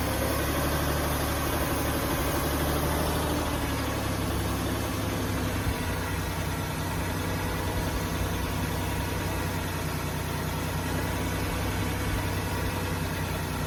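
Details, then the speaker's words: 2005 Ford Taurus after new idle air control valve and ignition coil; idle surges and sags unevenly with faint hiss; owner suspects a vacuum leak sucking air in somewhere up top, unconfirmed. "see how it's jumping real bad sounds like I hear air coming out of somewhere else"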